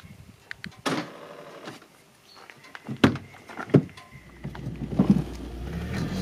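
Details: Peugeot 605 power window, repaired by owner in Tunisia: a few dull clunks, then steady low whir as the glass travels smoothly; window motor working normally.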